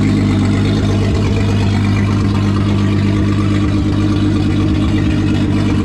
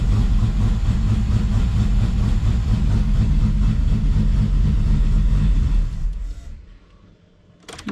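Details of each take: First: VR6 turbo engine with methanol injection and open throttle body, in final assembly before exhaust work: steady, even low rumble with no misses or surges; smooth idle. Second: VR6 engine, final assembly, cold start with temporary intake piping removed: slightly uneven lumpy idle with low rumble, then shut off; rough cold idle, running rich.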